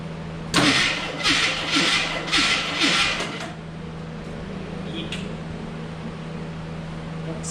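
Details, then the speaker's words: 1985 AMC Eagle (former derby car), engine previously seized: starter spins the engine in loud, lumpy surges for about three seconds; uneven compression suspected, not confirmed; transmission reportedly bad. "well it spins over this time that's that's good doesn't sound like it has even compression"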